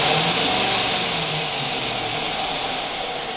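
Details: Jeep Cherokee 4G V8 idling with misfire on cylinder 5 after injectors cleaned and coils, plugs, vacuum and fuel pressure checked; uneven stumble with ticking beat about 3.5 per second, misfire counts rising cold and hot; caused by seized lifter and worn cam lobe.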